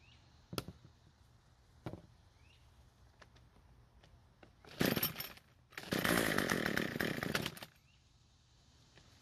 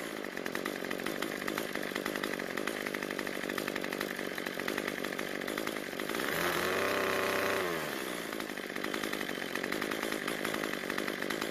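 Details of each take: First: Cub Cadet two-stroke trimmer on ethanol-free fuel, runs at full throttle: screams briefly then dies instead of idling; starved for fuel, low-speed (L screw) mixture too lean. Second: Cub Cadet two-stroke trimmer that died at idle, after turning the carburetor L screw about a quarter turn counterclockwise to richen it: steady buzzing idle holds, picks up cleanly to a high whine on throttle, drops back smoothly; running properly.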